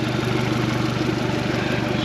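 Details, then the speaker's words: 2017 Suzuki DF115 four-stroke outboard after overdue service (oil, plugs, water pump, gear oil, anodes, fuel filters) that fixed rough idle and stalling; it idles smoothly with even firing and no hunting. "Let's go ahead and fire this thing up. Make sure we're peeing water shifting. Nothing's leaking. Make sure she still sounds good."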